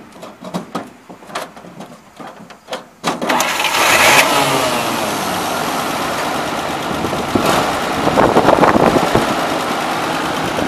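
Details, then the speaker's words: 1941–43 WC62 6x6 with 230 six-cylinder, converted to 12 volts, not yet up to temperature: short cranking, fires right up and settles into a smooth, even idle with no knocks or misses; normal start and idle. "we're gonna start this take a little little ride just to show you how well it runs go ahead and fire it up Bob"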